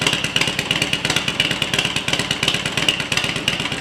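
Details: Harley-Davidson EVO V-twin after EFI-to-carburetor conversion, test run: lumpy uneven idle about one and a half pulses a second, running steadily like a healthy carbureted engine.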